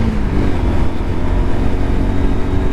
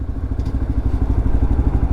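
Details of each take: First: Lexmoto LXR 125 at 1,000 miles, riding after a modification that removed a former rattle: a steady low single-cylinder drone with road and wind noise and no rattle; normal riding. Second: Lexmoto LXR 125 motorbike at about 1,000 miles, running after the old exhaust was refitted with sealant cleaned off: low, even single-cylinder thumping with a loose clatter on each beat; rattle persists, owner concludes it is not the exhaust, source unclear.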